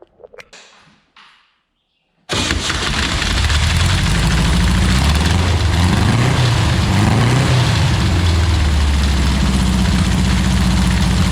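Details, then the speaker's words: 1962 Berry Mini T dune buggy, VW engine, sitting five years, after timing work with distributor 180° out: few quiet clicks, then fires into steady even rumble with mild rev swells; squirrel nest in one exhaust pipe; runs. "looks like some squirrel decided to make a home in the exhaust pipe on the one side but she runs so there you have it guys been sitting for about five years at a garage"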